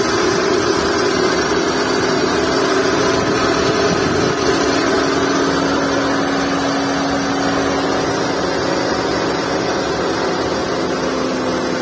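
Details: Skoda Fabia idling with a constant low whine over the engine, unchanged throughout, from a worn V-belt and tensioner bearing.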